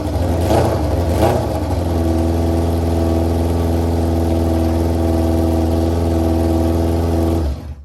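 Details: 2001 Yamaha YZF R6 after a carburetor rebuild, jet change and flushing out bad gas, first start in three years: two throttle blips, then a steady, even idle with a clean low drone and no misses or knocks. Normal idle.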